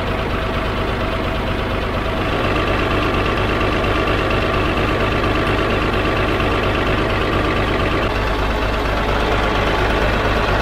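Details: 12-ton diesel grader idling after a new drive chain and an oil and filter change; the chain is not yet filled with oil, with oil poured over it while rolling. Even idle rumble, no clatter, grinding or binding. The chain goes around well; the hub gets sealant next.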